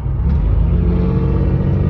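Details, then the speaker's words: Buick petrol engine now running evenly with no misfire; it had been misfiring and running rich once warm because a manual gauge had replaced the ECU temperature sensor. Fixed by refitting the sensor. "but yeah she's she's running good now"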